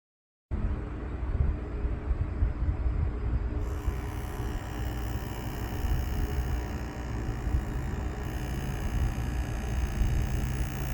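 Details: Steady low buzzing rumble with faint constant tones from an HTC Vive base station (Lighthouse), before opening the cover to find the root problem and fix it with super glue.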